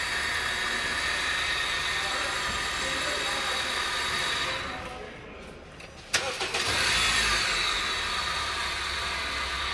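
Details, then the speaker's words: Honda engine idling: steady high hiss and whir of bearing noise over the idle, which dips briefly and catches again; worn water pump bearing and auto belt tensioner bearing. "सबसे पहले इसका जो water pump है उसका बैरिंग आवाज़ कर रहा है, इसके साथ साथ इसका जो ऑटो टेंशनर है उसका भी बैरिंग आवाज़ कर रहा है।"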